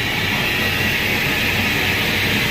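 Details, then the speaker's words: 2018 Ford F-150, customer suspected a front wheel bearing. Cruising in two-wheel drive, a constant high whirring howl rides over road noise from what sounds like the rear axle bearing and differential; metal flakes were found and the rear end probably needs rebuilding. "It sounds like two things going on. Axle bearing and the diff. Yeah, we gotta take this apart. That rear end needs to be rebuilt probably."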